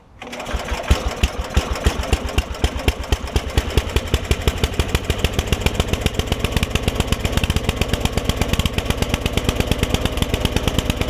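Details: PowerChief 3500 W generator with 8 hp Briggs & Stratton engine, after fitting carburetor, governor linkage, new air filter and fuel line: catches at once and settles into a steady, even beat with no misses or surging; runs healthy.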